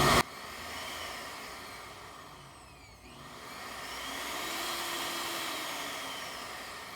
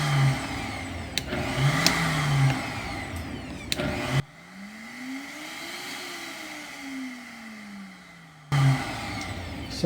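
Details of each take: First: Vitamix 7500 blender that wouldn't turn on (possibly dropped): motor whine sags and nearly cuts out, then returns to full speed when the control board is twisted or the speed dial pressed. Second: Vitamix 7500 blender after reassembly with a makeshift fix for the control board that needed pressure to run: motor hum rises smoothly, holds, winds down evenly with no grinding or stutter; running normally.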